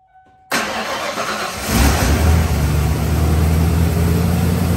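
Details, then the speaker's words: 1993 Ford F150 after repair: brief cranking, catches with small rev, settles into smooth steady idle with no misses; previously idled poorly, no check engine light now. "all right guys i think it did it okay remember right uh before it didn't idle very well that looks good no engine light"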